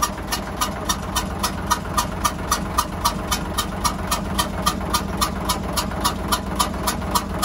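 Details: Hyundai 6D16 diesel at idle with strange hissing noise, injector lines loosened one by one to find the cylinder: sharp regular puffs about 220 a minute over steady idle, compression gas blowing past a leaking injector.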